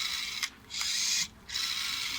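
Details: Panasonic NA-FS14G3 EcoNavi top-loader: small motor buzzes in harsh raspy bursts with clicks, from a jamming drain valve actuator/clutch that resists being pushed in; cause of drum wobble, knocking and cycle restarts; replaced.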